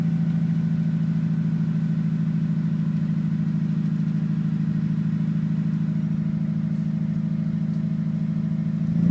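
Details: Mitsubishi Evo with bolt-ons, Walbro 255 pump and 1200cc injectors, cold start at 39°F: uneven, lumpy idle stumbling every few firings, misfiring and setting a Cylinder 1 misfire code. It repeats on a quick warm restart but starts fine after sitting about 5 minutes.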